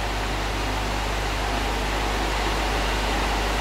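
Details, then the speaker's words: Electric motor with newly replaced bearings on a trial run, fan fitted but cover off: steady airy fan rush over a low even hum, with no grinding, rumble or ticking; far quieter than the old bearings, a successful repair. "Compared to the old bearings, this is extremely silent. So, I would call this a successful repair."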